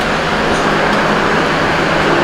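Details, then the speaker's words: 1985 Honda Goldwing GL1200 after carburetor rebuild, run up to operating temperature until the fan kicked off: steady smooth even roar, no knocks or ticks; engine sounds good, though the water pump weep hole leaks coolant. "I let it get up to temperature so other than that the engine sounds good"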